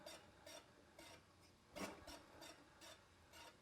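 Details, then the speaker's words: Porsche 912 engine stored over a decade, fan turned by hand: dry scrape about twice a second, rasping in the same spot as the cooling fan blades rub the shroud; a loose nut was found and a gasket found missing. "it's not supposed to make that sound but the actual Blades of the fan look okay so let's pull this off and see why the fans rubbing"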